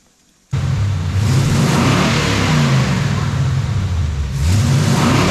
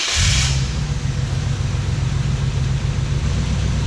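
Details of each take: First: Wrecker engine after ignition timing set to 12 degrees with a timing light: engine blipped twice, revs climbing and falling cleanly with a steady idle between, no pinging or misfire; running well. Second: Wrecker's petrol engine idling with a steady low rumble and slightly uneven pulse; the timing light read about 18 degrees, too far advanced, after the distributor was bumped while tightening. It was later reset to 12 degrees.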